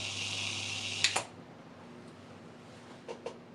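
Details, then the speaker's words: Dayton Audio SPA500 subwoofer amp after an anti-pop/thump mod, switched off after a 10-second soft-start settle: hum and hiss cut off with only a slight tick, no thump, output DC jump stayed below 180 mV. "Now you may hear a tick when I shut off, because at 100 millivolt, 180 millivolt jump back down to 0. That movement from the 100 millivolt down to 0, you might hear a tick, but should be just a tick."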